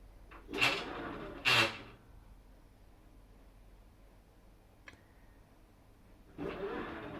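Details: Samsung top-load washer WA400PJHDWR/AA, direct drive: two harsh grinding bursts while it auto-senses the load size at the start of the cycle, then the steady hiss of water filling.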